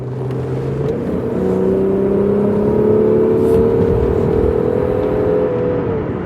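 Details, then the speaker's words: Rover 75 with KV6 V6 engine in sport mode accelerating: a smooth, even note climbing steadily in pitch as revs build, with no knocks or rattles; healthy engine pulling cleanly. "what a lovely sound a and the brilliant thing is about the kv6 is that you can have that sound and even go that fast"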